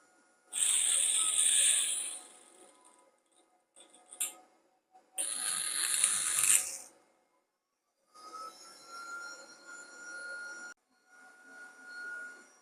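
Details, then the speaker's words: PICC Starfire electric plasma hob fed through its separate converter unit, at first firing up: hissy crackling bursts on ignition, then a thin steady high tone while running. This is the hob's normal plasma arc noise. "So these are basically just plug and play. Makes a strange noise when you fire it up."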